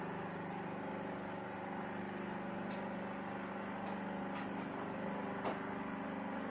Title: maingay na spin Dyer may lumangitngit na bakal